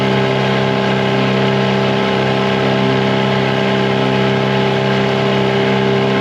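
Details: 2004 Tohatsu 9.8 two-stroke long-shaft outboard after rebuild, wide-open throttle on the lake: steady high buzzing drone with no misses or surging, running cleanly at top end, though noticeably slower than the rebuilt 2011 four-stroke 9.8.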